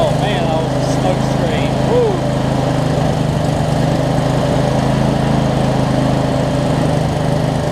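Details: Craftsman DLT 46" riding mower, 25hp Briggs & Stratton V-twin, first run after sorting messy wiring, some smoke burning off around valve covers; steady even low drone, no misses, knocks or hunting; normal running.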